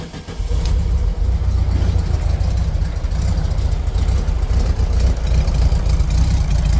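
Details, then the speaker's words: 1973 VW Beetle air-cooled engine in neutral after carb pumps: deep, uneven idle that lopes and stumbles; runs rough, starts then chugs and dies and won't restart; new ignition parts and carburetor rebuild planned as the fix. "As you can tell, it runs kind of like garbage. Uh, so I got some new ignition parts for it in a carburetor rebuild kit that we're going to go ahead and put in it."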